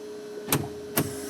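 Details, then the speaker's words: 1974 Datsun 260Z with N42 L28 engine running, AC turned on and off with the compressor clutch engaging. Two crisp clacks about half a second apart over a faint hum as the vacuum flaps shift; normal vacuum actuator operation. "Basically I'm just turning the AC on and off. And of course in here you can hear all the vacuum stuff"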